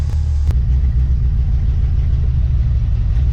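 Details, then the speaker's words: 1991 Chevy S10 with swapped 5.3 LS V8, new dual-spin square mufflers and new exhaust from headers back, new coil packs and fuel pressure regulator. Deep, smooth, steady V8 burble at idle, no knocks or misses: healthy idle. "sounds nice so this thing has a brand new dual spin tech uh mufflers the little square ones"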